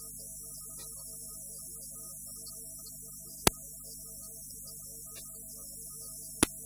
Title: trinitas costila zgomot pe stereo